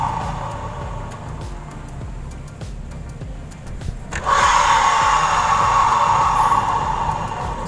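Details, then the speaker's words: Honda Vario 125 CVT turned by spinning the rear wheel, CVT cover removed: loud steady rough whirr with gritty ringing tone after faint ticking; worn rear pulley bearings (91005-KVB-900, 91109-KVB-901) grinding. "Masih ada suara. Ternyata masih, Mas Bro. Kemerosok. Suaranya kemerosok."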